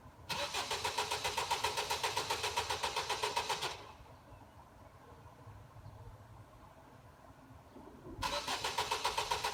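Starter whirs at a steady three to four beats a second, stops, cranks again, but the engine never catches: cranks, no start.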